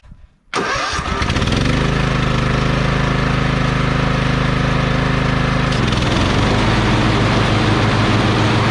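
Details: Lawn tractor after replacing a mower deck spindle and pulley and rethreading the belt: the engine catches within a second and settles into a steady, even idle with no knocks or squeals, running healthy.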